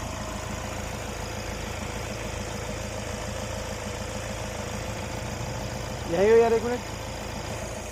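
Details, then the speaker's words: Kia Carens 2022 Prestige diesel at normal start and idle: quiet, even idle with a soft steady clatter and no knocks or misses; engine sounds smooth and refined. "तो normal starting में जो sound है वह इतना आपको सुनाई देता है"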